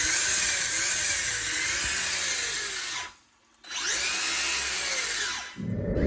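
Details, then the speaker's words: Maverick Strada XT RC car on 3S after repair, with the pinion realigned to the spur gear and loose outdrive grub screws fixed, driven outside; clean high motor whine rising and dipping as it passes, no clicks or grinding, running smooth. "i'm going to show you that running nice and smooth now with the the pinion and the spur gear that's running really nice"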